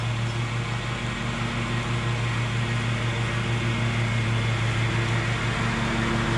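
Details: Bad Boy zero-turn mower, fire-damaged engine repaired, drive pull fixed and new blades fitted, mowing: steady even drone with constant low hum and blade whir, no surging or knocking; runs smoothly, even cut.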